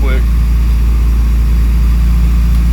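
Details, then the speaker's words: Acura RSX at idle on ramps after an exhaust leak repair, also being checked for overheating: deep, loud but even exhaust note with no ticking heard. Normal idle; a drive test is still planned to confirm. "Sorry if you can't hear me because the exhaust is so loud, but I don't hear the tick right this second. We may have to drive it around the block and see. Yeah, I don't hear it."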